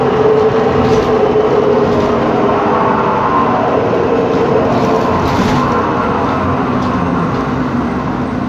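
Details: 2013 MAN Lion's City city bus, MAN E2876 LUH03 EEV CNG turbo engine, ZF Ecolife 6AP1400B six-speed automatic, cruising: a steady mid-pitched whine over engine and road rumble, a noisy differential.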